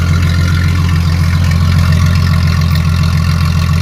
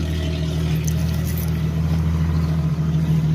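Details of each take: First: Jeep ZJ with rusted, holed muffler leaking fumes into the cab, run with the muffler cut off during exhaust replacement: deep, loud booming idle with a hard throbbing pulse, then shutdown; open exhaust before the new muffler is fitted. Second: Jeep ZJ (Grand Cherokee) after replacing the rust-holed, rock-damaged stock muffler with a new exhaust: a deep, even exhaust rumble at steady idle with no rattles or blowing and a healthy muffler note. Normal exhaust note.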